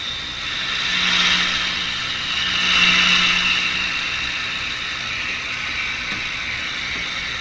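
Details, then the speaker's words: RCA Victor RC-1064 five-tube AM radio switched on during final alignment at high volume: loud hissing static with faint wavering whistles, swelling and fading; owner blames modern interference from computers in the neighborhood. "See, I'm supposed to have the radio turned up full volume. In a quiet, back in the 1950s, you could do that. But if you do that today, you just hear your computer and everybody else's in the neighborhood."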